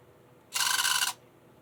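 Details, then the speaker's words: Burlington GP20 model locomotive motor running: short high-pitched chirps like an angry chipmunk; suspected lack of lubrication in a factory-sealed motor, not confirmed. "it works that's good also sounds like an angry chipmunk that's not good but the most important thing it seems to work"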